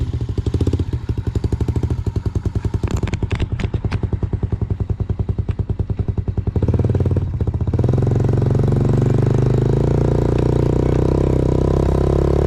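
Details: 2000 Yamaha TTR90 single-cylinder dirt bike after repairs (carburetor refitted, chain lubed), started on one kick, outdoors: even thumping with a few blips, settling into a steady smooth idle; runs well, though chain may be slightly too tight.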